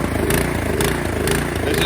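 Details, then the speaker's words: 2017 Troy-Bilt Storm Tracker 2690 XP snow blower, after storage with the fuel drained, no choke, before carburetor replacement: the engine rises and sags about twice a second, a hunting surge. Owner suspects a clogged carburetor idle circuit. "which leads me to believe the carburetor um possibly has the idle circuit that has uh clogged so here it is running with a partial choke on if you give it more choke it smoothens out"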